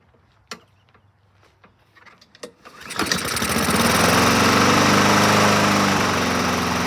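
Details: 2007 Honda HRR2162SDA Quadra Cut mower, after freeing a stuck-open intake valve (zero compression) and cleaning crusty carburetor, choke set: a few pulls, fires and settles into a steady, even run; starts and runs fine.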